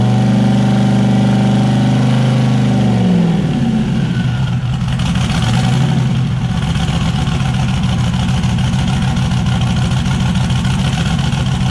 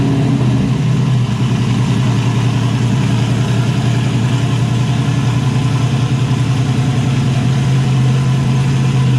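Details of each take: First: Turbocharged Zodiac S10 after fire-up with turbo setup, wideband not yet hooked up; rough, uneven idle, blipped, stumbling at some revs and clearing at others, a miss. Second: Turbocharged Zodiac S10 after cleaning driver's-side parts with carburetor cleaner, no longer running on five cylinders; loud, deep, even choppy lope about three or four beats a second from the cam, all cylinders firing.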